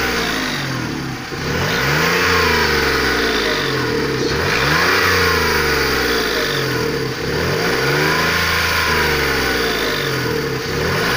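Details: Engine blipped repeatedly; a thin whistle rises and falls with each rev, appearing between 2500 and 3000 rpm on throttle and loudest near the top of the rev; cause unknown.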